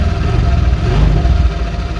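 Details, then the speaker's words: Honda Vario 125 LED scooter in for rough CVT noise, started during teardown: even, steady low idle with smooth rumble and no rattle or scraping from the belt drive; CVT sounds healthy. "Coba hidupkan. Nah, beda nih suaranya."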